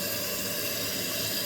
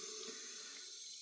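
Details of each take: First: Toilet after fitting a new fill valve from an all-in-one repair kit, with an even, steady hiss of water refilling the tank normally; the water level is then adjusted to match the previous level. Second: Running toilet: a steady soft hiss of water flowing nonstop with no shutoff. The fill valve is leaking by and the tank keeps refilling.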